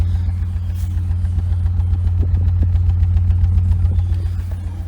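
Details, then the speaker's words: 1999 BMW 328i with Borla exhaust, after fuel pump, battery and intake hose replacement, recorded outside; deep steady throaty idle at about 900 rpm, even beat, no taps or knocks, normal idle. "so when we come outside as you can hear uh it's already got a borla exhaust on it it had a boiler on it i love the throaty sound of a borla"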